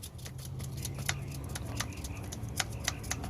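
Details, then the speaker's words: Flooded Ram truck, engine off, pulley spun by hand: dry, irregular crackling ticks ("snap, crackle, pop") matching the owner's noise. The idler pulley bearing is worn and is to be replaced. "Snap, crackle, and pop. You hear that? Can you see it? That's the noise I'm hearing. That is the exact noise I'm hearing."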